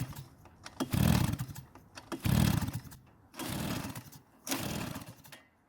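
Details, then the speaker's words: Shindaiwa backpack blower, two-stroke, no-start, fuel added at the carb inlet: four pull-cord cranking bursts that never fire. The intake is much too loose, causing an air leak so it can't draw fuel. No-start from an intake air leak. "that's when I realized the intake was loose in fact it's much too loose this would cause an intake leak which would mean the engine is very unlikely to start"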